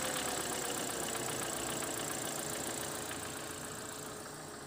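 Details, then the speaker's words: Mitsubishi 4G93 GDI petrol, knock began at 250,000 km and unchanged after another 100,000 km. Fast steady metallic rattle from a worn oil pump drive gear where it meshes with the crankshaft. "так Откуда же берется этот звук спросите вы и почему у меня сейчас на столе лежит именно шестерни масляного насоса Да все потому что этот звук идет как раз таки от этой шестерни"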